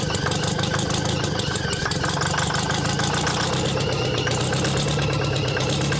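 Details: Champion motor grader with Detroit Diesel, locked up 7 years, now freed: deep even rumble with rapid regular firing pulses, no knocks or misses.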